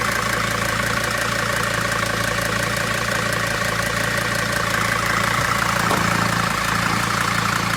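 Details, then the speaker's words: Mercedes T1N Sprinter 3500 diesel, possibly factory remanufactured engine; idle clatter with steady high whine from the power steering pump, suspected low fluid; a turbo/boost leak is also heard. "that might be power steering but yeah the wing is power steering"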